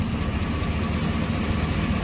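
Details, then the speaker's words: Fourth-gen Ram 1500 Hemi V8, warm, before installing Pace Setter headers: deep, even idle rumble with faint quick ticking from an exhaust manifold leak. Manifold temps read around 190–219; the owner suspects a possible bad plug too. "i mean you can hear the exhaust leak"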